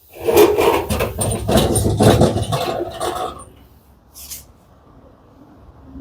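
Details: Whirlpool 15 kg vented dryer, drum turned by hand with door open: rough, dragging scrape in uneven bursts for about three seconds, drum feels tight; defective drum roller, fixed by replacing it.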